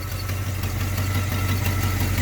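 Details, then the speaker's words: 1980 GMC truck V8 after tune-up with new MSD HEI distributor, timing about 8 degrees, idle set to 700 rpm: deep even steady idle, no misses or knocks; healthy. "Idling real nice right at 700 there. Right where we want her to be."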